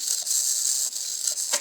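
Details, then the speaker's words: RC car servo plugged into the receiver with the battery connected before replacement, giving short smooth high-pitched whirring sweeps without grinding; the servo works fine. "nickel, il fonctionne."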